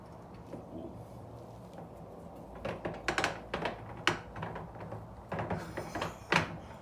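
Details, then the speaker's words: Ford Mustang 5.0 T-5 manual transmission, previously rebuilt, broken at the track, turned by hand on the bench: irregular hard metallic clunks and clacks; broken gear internals. "they are not supposed to sound like that um just for your information"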